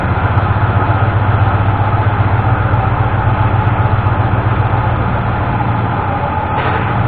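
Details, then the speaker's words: 1988 Ford F-150 V8 in neutral with a timing light attached, after the broken distributor-side ignition module was replaced and the engine retimed: steady, smooth low rumble, no skips or missing; normal idle. "we did get it fired up a little bit ago after we got the distributor dropped in which you saw in the video and it doesn't sound like it's missing anymore so it sounds like that ignition module on the side of the distributor fixed it"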